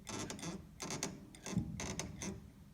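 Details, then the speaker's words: Repeated creaky squeaks, about two a second, as the sustain pedal of a Yamaha Eterna piano is pumped; the pedal rod rubs the frame. "so I'm now pushing the sustain pedal and you can hear a very irritating sound coming from here"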